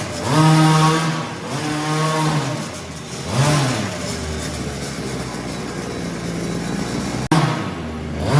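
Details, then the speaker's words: Redcat Rampage XR two-stroke gas rally car, third and final break-in heat cycle, warmed up, with half-throttle pulls: crisp buzz climbs and falls cleanly, no misses or rattles. Engine running healthy. "All right, guys, this is the last heat cycle, so I'm gonna start it, let it warm up a little bit, and then I'm gonna give it a few half throttle pulls."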